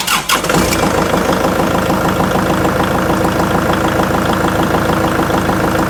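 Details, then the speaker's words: Kubota tractor diesel after ignition switch replacement: short crank, fires within a second, steady even clatter without cutting out. Fixes a months-long problem where the dash died on cranking and the tractor shut off. "works like a champ uh that problem has been a pain for several months now"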